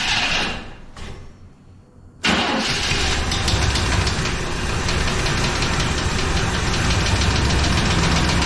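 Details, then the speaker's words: 1999 Chevrolet Tahoe that sat 14 years, cheap new battery and three gallons of fuel added; a couple of slow cranking bursts, a pause, then it catches into a rough steady idle, about 60 psi oil pressure, some smoke: cranks and starts after long storage. "well we put three gallons of fuel in it we can hear it priming up just don't know if it's not getting up here just yet or whatnot"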